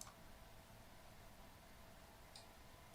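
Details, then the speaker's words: Reichhardt PSR controller during software flash update to 2.181_H04 via service tool for AFS 392 receiver compatibility: single faint sharp relay click in quiet room as controller powers down and restarts in update state; normal. "click sound means our controller just powered down and then powered back up in an update state."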